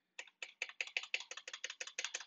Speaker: course if you start doing this you can see especially this side a lot of rattle but your press here it's not terrible but listen to this thing Jesus Christ this is definitely my first challenge with this keyboard